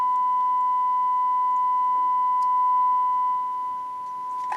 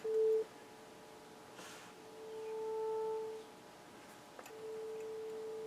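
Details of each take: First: Harman Kardon 900+ multichannel receiver after capacitor and resistor restoration, drawing about 48–49 W; a clean, steady test tone of about one kilohertz through the speakers with no crackle or dropout, so output stage working (previously no left channel; alignment still needed). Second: Harman Kardon 900+ quadraphonic multichannel receiver in four-channel mode on auxiliary one, test tone near 440 Hz: right channel plays quiet and thin with a buzzy edge, weak and distorted output.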